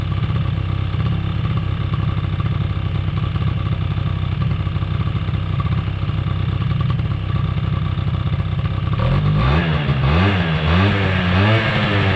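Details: 2005 Polaris Predator 90 two-stroke quad, long-sitting, has a high idle. Spraying brake clean did not raise the idle, and an exhaust-area leak is suspected. Fast, buzzy idle that never settles, then a few blips; cause unconfirmed.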